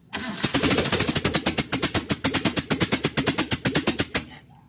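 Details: Carbureted Mitsubishi Lancer, freshly overhauled but poorly done, under test: rapid uneven chuffing pulses for about four seconds, then cuts out; tries to run but dies. Cause suspected, not confirmed.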